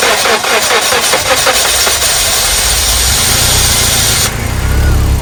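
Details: 1997 Nissan Sentra previously crank-no-start from ignition problem: quick crank rhythm, then engine catches and settles into smooth, steady idle; starts and runs normally.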